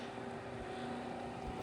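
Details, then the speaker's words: 1960s-70s Westinghouse Lively Aire 10-inch oscillating fan running: steady airy whoosh with faint hum and slight buzz; owner suspects age dry-rotted rubber feet make noise on the ground, quieter on a cloth, plans to replace feet. "but when you put a cloth or something like that, that noise kind of goes away. So I'm probably going to have to replace the rubber feet on the bottom at some point."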